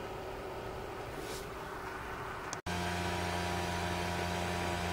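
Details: 12 V 30 A DC power supply with its stock cooling fan, before replacement: a steady, even whoosh with a low drone and no rattle. The stock fan is just excessively loud.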